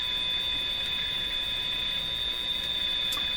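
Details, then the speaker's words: Steady shrill heterodyne whistle over soft hiss, varying in frequency, from a General Electric CL541A ship radio receiver; strong 460 signal from the mixer stage, with an interference squeal that would accompany any station tuned. "is you hear the interfering squeal that's varying in frequency how do you get rid of that"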